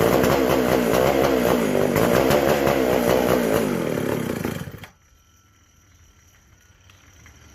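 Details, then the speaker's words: McCulloch SP125 chainsaw, second attempt: ragged revving with hunting, uneven firing, then abrupt death, lean; carb not drawing fuel or pulsating, owner unsure the sealed gas cap vents the tank; a large carb-to-intake gap was later found. "Well, okay, it's kind of doing the same symptoms. Oh, I forgot I had the gas cap completely sealed off, and I don't know if this tank vents properly or not. Not wanting to pull fuel."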